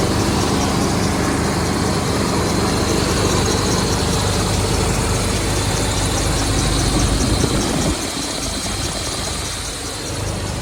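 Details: Cold-start idle of a 1992 Chevy Silverado K2500 3/4-ton 4x4 with a Chevy 350 V8, hood open, about 40,000 km in the last 8 years: a steady, even idle with a deep exhaust burble, no knocks or ticks, no smoke. Sounds healthy.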